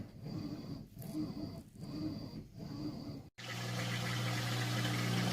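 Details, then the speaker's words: 3-year-old Whirlpool Cabrio high-efficiency washer, full load of mostly jeans and towels, normal warm cycle; rhythmic sloshing gives way to a steady low drain-pump hum as water is pumped out through the hose; normal rinse and drain. "launching into the rinse cycle and draining out all the water right now it comes up through that hose there"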